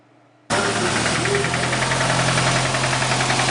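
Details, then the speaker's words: Nissan engine fires up into a rough idle with a steady metallic knock, about three to four per second. A breaking-up catalytic converter brick worked back into the engine and destroyed it, so a replacement engine is going in. "a little bit of a knocker here."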